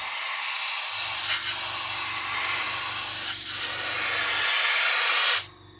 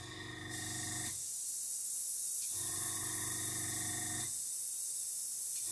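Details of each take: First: Gaahleri GHAC-Swallowtail trigger airbrush with 0.7 needle spraying unthinned VMS clear gloss: steady even hiss of air and paint with a low hum underneath, cutting off cleanly at release; sprays smoothly. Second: Gaahleri GHAC-Swallowtail trigger airbrush at about 10 psi: steady hissy air bursts on and off about every 1.5 seconds, sputtering as dried paint at the tip (tip dry) is blown clear.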